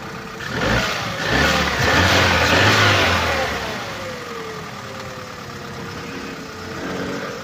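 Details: Opel Corsa D 2011, 1229 cc 63 kW/86 PS petrol engine (A12XEL), 150,980 km; a sharp, regular knock about twice a second rides over the engine as it revs and settles, diagnosed as connecting rod bearing damage.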